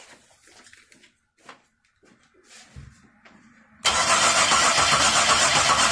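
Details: 2002 Chevy Monte Carlo, towed in after sitting a month: steady starter churn about four turns per second with no firing; cranks but won't start, PCM thought to believe engine is already running.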